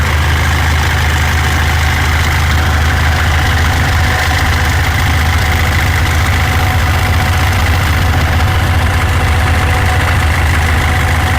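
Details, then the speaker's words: 2014 Mitsubishi L200 Triton 3.2 diesel, 254,000 km, idling: fast loose metallic rattle like a rattlesnake, coming and going, worse when engine warms; worn timing chain, fixed by replacing timing chain kit. "ó barulho pare sendo uma cascavel um suai de uma cascavel isso aqui é o barulho da corrente comando Ó tem hora que para tem hora que faz"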